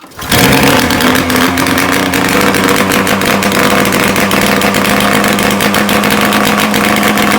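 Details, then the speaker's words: Ski-Doo Formula III triple two-stroke snowmobile, first start in weeks after carb and race valve cleaning, muffler off: loud, crackling bark at high revs, crisp and even with no misses; healthy running. "that's loud that sounds good there's my eardrum though"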